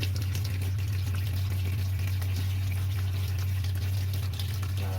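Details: Twin-tub washing machine modified to automatic with a solenoid fill valve and water-level sensor: steady rush of water filling the tub over an even low inlet-valve hum, a normal fill.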